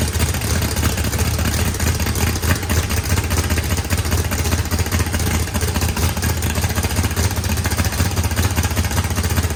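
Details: 409ci small-block Chevy with turbo, higher compression and milder cam, first start after setup, fuel pressure adjusted: loud, lumpy V8 idle with steady deep rhythm, good oil and fuel pressure; normal idle.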